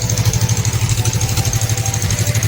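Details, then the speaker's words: Suzuki Inazuma GW250 twin at idle, stock right-side silencer replaced with an Exil silencer. Steady, even low burble with regular pulses, no knocks or misses. A healthy, fairly quiet exhaust, normal idle. "Alright, there it is. As I can see, not too loud. I love the low decibel sound, it's good."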